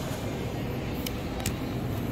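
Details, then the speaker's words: Supermarket Killion self-contained refrigeration case after compressor replacement, evacuation and recharge: low, even hum with no knocking or rattle, temperature coming down, no leaks; compressor running normally. "So you hear that? The compressor's running."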